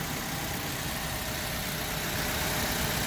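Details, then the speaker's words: 2013 Mazda 3, 2-litre four-cylinder, 102,607 km, idling during a pre-purchase inspection; smooth steady idle with even hiss, no ticks, knocks or hunting, runs as it should. "And we'll go to the engine and hear it run for a minute. But it does seem to run pretty smoothly. There's the 2-liter 4-cylinder."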